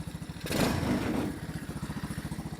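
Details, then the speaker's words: Tao Motor Jeep 110cc go kart, 107cc air-cooled 4-stroke single with new PZ-19 carburetor, idle just turned up: short throttle blip then steady even putter about fourteen beats a second; clean normal idle, may need adjusting once warm. "Let's go ahead and do that. there. Turn it up a little bit. That sounds better."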